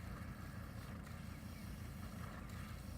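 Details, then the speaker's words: 1984 Mercedes 300 SD W126 diesel idling with water in the exhaust to flush soot: low uneven idle with soft wet burble at the tailpipe, about three pulses a second, hiccuping like a boat exhaust while soot clears. "Sounds like my diesel boat. It's a boat now, yeah. Also, it's hiccuping and burping, and that's how you clean out the soot out of your exhaust."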